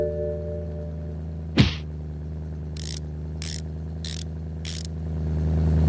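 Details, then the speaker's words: BMW E90 M3 S65 V8, stock ECU cold start: after about one minute the idle drops to around 600 rpm and stabilizes, a low even hum with a few short hissy bursts; normal. "Okay, after about one minute, the RPM will drop to around 600 rpm and stabilize."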